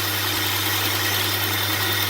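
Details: 2002 Hyundai Santa Fe 2.7 with a no-power-under-load complaint: smooth, even idle hum with a steady low note, no misses, shaking or hunting; the engine sounds normal at idle.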